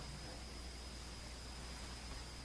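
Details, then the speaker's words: A 1952 EICO Model 425 oscilloscope, whose tubes tested good, is powered up. A steady mains hum with a faint high whistle and hiss is heard as the tubes warm up normally, with no smoke. "hear the tubes warming up and I can feel them warming up"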